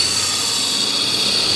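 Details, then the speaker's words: 1992 Dodge Dynasty 3.3 L V6 under hood: steady piercing high whine, suspected failing bearings in the AC compressor clutch, which spins though AC is off, or an idler/tensioner pulley; not confirmed. "what is that noise sounds like some bearings doesn't it going out on an idler or tensioner pulley or something maybe air conditioning"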